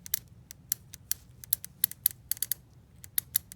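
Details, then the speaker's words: Honda Odyssey shift solenoid, removed over P0740/TCS hard 1st-2nd shifting, reads 12-25 ohm spec but is bench-tested with a small 12V battery: light irregular thin ticks. Plunger only partially engaging, a weak solenoid. Replacement fixed the problem. "I am hearing clicking, but I'm not sure if that's a full enough range. Doesn't sound like it may be a complete range. may only be partially engaging."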